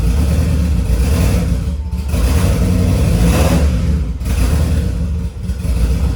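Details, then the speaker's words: Freshly rebuilt turbo D16Y8 in EK Civic Champ Car just after first start: deep, steady roar rising and easing with throttle, in time, picking up, no knocks or ticks heard. Normal running. "we're still down a hole for sure but it sounds good so it's in time and everything it's actually starting to pick up right now so that's really good um i don't hear any engine noise"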